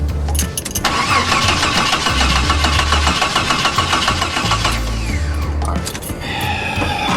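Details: Jeep after fitting a new wiring harness, before new spark plugs: the starter churns at a steady, fairly quick three beats a second but the engine never catches. It cranks with no spark.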